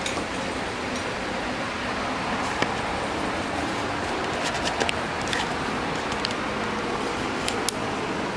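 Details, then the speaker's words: Abandoned 1984 Honda Saber VF700S motorcycle after new ignition coils, engine temperature unknown as gauges don't work: steady even drone, smooth hiss with a few light clinks, no knocks or misses; normal running. "the engine sounds good like i said i don't want to run it anymore"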